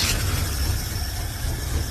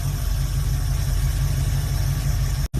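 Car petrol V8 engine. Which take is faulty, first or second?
first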